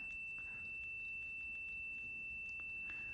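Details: Zenith 5S119 antique radio variable tuning condenser on a multimeter continuity test: steady high beep shows a short, with bent vanes making the rotor and stator plates touch at a point as it is tuned.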